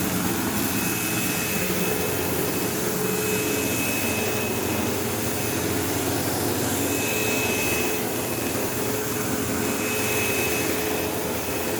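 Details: 15-year-old, heavily used Sebo Automatic X5 upright vacuuming a living room: loud steady roar, coarse buzzing and a faint intermittent tone, occasional belt-slip-like squeal; brush roll vibrating, belt had tension, owner wonders if it needs a belt; cause unconfirmed.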